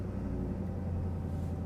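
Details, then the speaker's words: Cheap pickup truck's petrol engine just after starting, with long-tube headers fitted: a steady, unusually high idle. It has been running rich, getting poor fuel mileage and sometimes smoking, though there is no smoke now. "high idle. Never seen that before. That's new. I don't think it's ever done that. I think it's always just kind of idled low."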